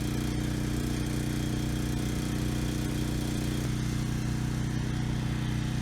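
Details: Briggs and Stratton Storm Responder generator after cleaning main jet clogged by untreated gas: started first pull, steady even drone at constant speed, no hunting or surging; normal running.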